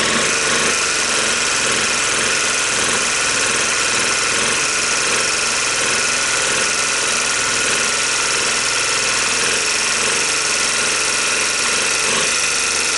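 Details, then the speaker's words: 1986 Honda TRX250 engine with low compression, started with starting fluid after starter and gear replacement, smoking badly; rough, clattery run with sharp metallic rattling beyond normal valve tick, shifter not engaging; owner suspects prior tampering, considers engine unsavable. "it's got a couple of bad sounds to it more than the valves right somebody's already been in there fooling around with it"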